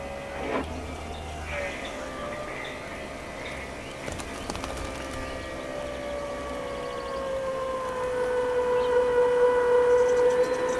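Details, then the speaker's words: Land Rover Discovery 2 Td5 after fuel line repairs, key on after reconnecting battery; steady electric whirr creeping slightly higher as the lift pump fills the filter and primes until it times out; normal fuel lift pump priming. "so that's the sound of the fuel filling the filter and priming the system right it's timed out"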